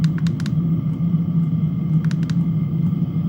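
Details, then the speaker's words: Chinese diesel heater with pump capacity (P) at a lower setting: steady, low blower hum with sharp, regular fuel-pump clicks that get faster when the setting is raised; normal pump ticking. "And then P is for pump capacity. So right now it's click, click, click, click."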